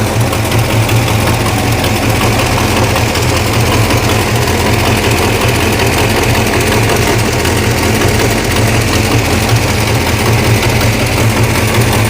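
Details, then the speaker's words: 1969 Barracuda V8 started for the first time in about three months, with a little gas: a loud, lumpy idle with a rapid puffing tick on each firing pulse. An exhaust manifold leak is blowing out the bottom between cylinders 1, 2, 3, 4 and 6. "oh definitely an exhaust leak okay yeah it's blowing out the bottom between uh cylinder 1 2 3 4 and six"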